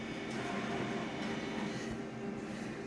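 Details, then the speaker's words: Konica Minolta scanner running a scan pass: low-pitched squeak that holds steady as the carriage moves; cause not identified. "we go it's like you can hear the low pitched squeaky sound it's terrible quantum an old it's terrible"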